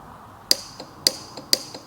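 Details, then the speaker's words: Camping-car gas heater being fitted, solenoid gas valve wires powered directly to test: four sharp, bright clicks about half a second apart as the valve snaps open; solenoids work normally. "voilà ça fonctionne on l'entend claquer en mettant on va tester le deuxième le rouge et le bleu vert il est là ça fonctionne"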